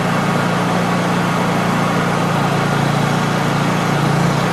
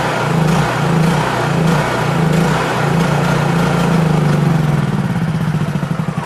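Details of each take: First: Honda EU3000is inverter generator in normal mode, carb re-adjusted through a drilled hole at the black rear adjustment screw: a steady, even drone and constant low hum with no misses or surging; set correctly, running normally. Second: Honda EU3000is inverter generator after carburetor idle and economy-mode adjustment, fuel valve turned off: engine hunts up and down in slow waves, then stumbles and dies as the carburetor runs dry; surging from deliberate fuel starvation.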